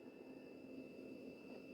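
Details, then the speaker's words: Vintage computer from storage shed, no hard drive fitted: steady fan whir and constant high whine, no clicks or seeks; powers up with front-panel lights and CPU fan running but no monitor output. "The computer sounds like it's actually running. The CPU fan's going. It's making all the right noises."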